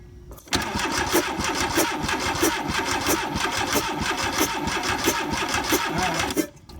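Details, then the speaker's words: VW Vanagon Westfalia engine trying to revive: the starter cranks at a steady, slightly uneven beat but it never fires. It has spark and fires on gas poured into the intake plenum, yet gets no fuel even with a new injector. Injectors are always powered. Crank no start. "I'm getting no gas even with the new injectors so something's not firing these injectors"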